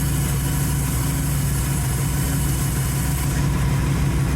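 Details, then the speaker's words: 1931 Ford Model A coupe, first running after the carburetor was swapped. Steady low idle with an even pulse of about one beat per second and no knocks or misfires: normal idle. "I have a fantastic automobile right here you can hear how good it runs"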